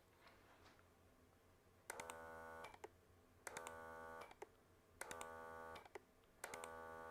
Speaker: if I go into reverse mode you can hear a lot more clicks let's do that maybe